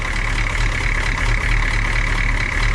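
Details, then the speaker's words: Humvee diesel after valve cover gasket replacement with CDR valve, intake and fuel lines removed and refitted, injector lines bled; oil pressure and voltage present: steady low idle rumble with even clatter, no knocks or misses; normal diesel idle. "just kind of looking at everything got oil pressure we got voltage this is all right"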